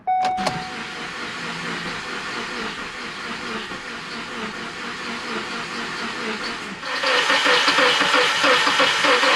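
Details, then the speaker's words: Ford Focus after engine and transmission reinstallation, first start with oil, coolant and transmission fluid in: steady starter churning about three pulses a second, never catches; cranks but no start after about 10 tries; owner suspects injectors dried up from sitting. "thank you man they started tripping because this thing wouldn't start I tried like 10 times and it wouldn't shrink um my guess is maybe the injectors dried up because this engine has been sitting"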